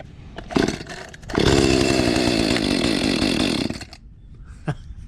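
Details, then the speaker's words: Echo CS 310 chainsaw with 12-inch bar, neglected over a year, once submerged in water, moldy and rusty, fresh gas: a few pulls on choke, then it catches and screams at high revs briefly before dropping off; starts on choke. "All right, we're gonna pull the choke out here. Turn the thing on right there."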